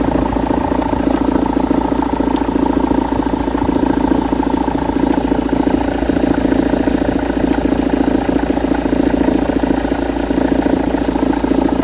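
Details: After flywheel replacement, at idle: steady idle with a regular light knock about three to four per second that keeps time with the engine. Engine knock at idle, cause unclear.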